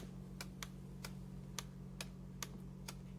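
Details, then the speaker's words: Brightown 1.7L 1500W electric kettle, about 1 minute 50 seconds into boiling, relays click sharply about twice a second over faint hum as it cuts out and tries to reset; owner considers it defective. "yep a minute and 50 seconds this is what happens you hear the relays clicking there"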